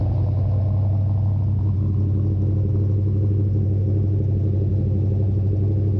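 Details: Craig's Mustang, cold start in the shop: a deep, even rumble with a steady beat and no knocks or stumbles. A healthy engine idling smoothly on a cold start.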